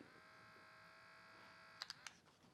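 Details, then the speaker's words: 1987 Porsche 911 Carrera Cabriolet: small Bosch fan for the automatic heating system's interior temperature sensor, cleaned and run on the bench. Steady even whirr with a faint whine, no rattle or scraping, then a few handling clicks. Bearings fine, slightly quieter in its housing. "It's even a little quieter in the housing."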